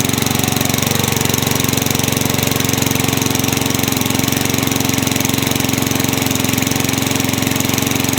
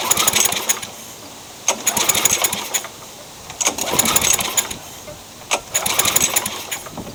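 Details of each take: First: Craftsman mower with engine swapped in for the blown Tecumseh, running after the kill switch and coil wiring were fixed to restore spark: single-cylinder loud and steady with a fast, even putter, no misses or knocks; healthy. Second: Craftsman mower with engine swapped in for the blown Tecumseh, primed and given carb cleaner, wrong CJ14 plug fitted: rope pulls spin it with a rattly whir but it never fires; no spark, owner suspects bodged wiring grounding out.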